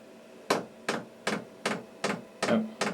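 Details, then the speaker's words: Newly installed diesel heater in a truck camper, set to level 2: the fuel dosing pump gives loud, sharp, evenly spaced clicks about two to three per second, ticking normally but very loud. "there goes the pump. Like I said, very loud."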